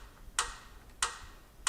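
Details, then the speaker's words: Old Jeep Wrangler abandoned 20 years: sharp, isolated ticks about two-thirds of a second apart after engine shutdown, quiet background; owner suspects valve train snapping into position as pressure bleeds off, possibly sludge, unconfirmed. "That's gotta be valve train making that noise, I'm sure of it. As it's slowly losing pressure but snapping into position. I wonder if that ticking noise is a sign of like sludge."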